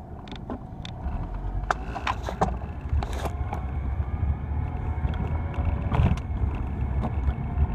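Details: 2004 Acura TSX automatic with a low rumble and scattered, irregular sharp clunks from underneath; source unknown. The owner suspects rear motor mounts, bushings or the sway bar, and believes it is not the engine.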